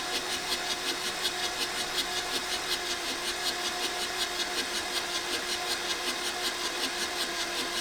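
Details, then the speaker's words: 1984 VW T3 single cab, 1.6 diesel, long unused junkyard truck; starter churns steadily about three beats a second, no firing; fuel confirmed at injectors, next check compression and timing. "no try to start there was definitely fuel coming out of these so that's not our issue so the next next testing to test out is the look for a compression if it has any"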